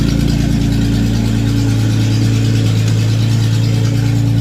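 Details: Datsun 280Z at its first start in many years, no exhaust fitted so it runs straight out of an open manifold: very loud, raw, deep idle with sharp crackly pulses and no muffling.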